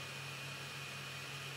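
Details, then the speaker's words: Voxelab Aquila FDM 3D printer homing with stock settings: steady airy cooling-fan whoosh and low hum dominate, quiet stepper motor drivers barely audible; normal running with a loud fan. "actually motion the fan is quite loud but the stepper motor drivers seem to be"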